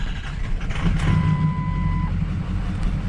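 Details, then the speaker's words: 6.0L Powerstroke diesel after a high-pressure oil pump replacement (it had lost oil pressure and wouldn't fire), intake still off: fires right up to a deep, steady diesel idle with a brief chime, no knock or miss; normal idle. "fires right up now"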